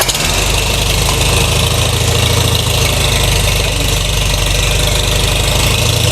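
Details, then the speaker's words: Farmall/International Harvester letter series tractor after single/two-stage clutch replacement with about 3/4 inch pedal free play: steady idle, goes into gear and engages the clutch very smoothly with no grinding. "You can see that my tractor went into gear and engaged the clutch without any grinding, and it was very smooth."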